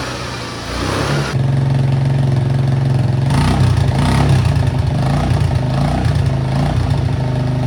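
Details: Suzuki Access scooter after repairing a rusted, holed silencer and applying high-heat coating: steady, smooth low putter at idle with an even beat and no rasp or hiss; exhaust sounds sealed and healthy.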